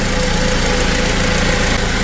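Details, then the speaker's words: Toyota 2TR-FE (Tacoma/Hilux/Hiace) idling with wheels raised after a power steering repair and fluid top-up: smooth, no pump whine. The earlier noise was caused by a clogged screen/filter inside the reservoir. "you can see there's absolutely no noise from the pump so it was obviously the reservoir the reservoir screen the reservoir filter inside there that I showed you causing the pump to run"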